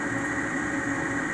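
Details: Ametek 117104-01 furnace draft inducer, newly replaced, running with a smooth, steady hum and even whirr, no rattle, scrape or squeal; the old unit was noisy and wouldn't start.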